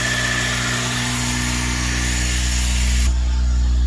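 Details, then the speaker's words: Acura RSX K-series after fitting a fuel return and flex-fuel system, fuel pressure holding at 46 psi with no leaks: a smooth, even idle with a steady low drone and no knocks, misses or rattles; runs healthy. "yeah so everything's good everything's running"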